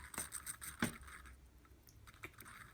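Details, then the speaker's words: Counterfeit Rolex Sea Dweller movement, crown being wound (worn crown tube thread): scattered gritty ticks and loose rattles and whirs; winding rough and horrible. "don't know if you can hear that, but it rattles and whirs. The winding is rough and horrible."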